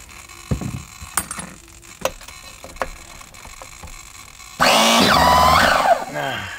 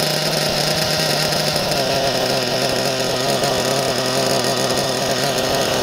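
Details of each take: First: Nova B3 nitro RC engine in S-Works S35-4 buggy, heated up, hard to start, last run wet and dirty, lots of oil inside; starter whirs then bogs and stalls at a sticky tight spot, won't turn past it. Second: Nova B3 nitro RC buggy engine running cleanly, a high buzzy steady two-stroke scream with no stumbles; normal running.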